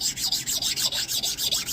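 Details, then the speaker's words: Soft stone rubbed over a freshly scraped Taft Peirce box parallel (scraped with a Biax BL10): rhythmic gritty rasp, about six strokes a second, as the soft stone cuts the high spots. Stone cutting scraped surface. "You can hear it, they do cut. It's because they're soft."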